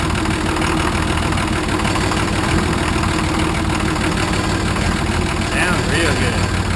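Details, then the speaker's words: Nissan 33SD turbo diesel in a 1980 International Harvester Travelall, just restarted after oil, fuel and air filter service: steady even idle with low clatter, no knocks, oil pressure up; normal diesel idle, slight roughness attributed to air after fuel filter change. "Real good. Got oil pressure."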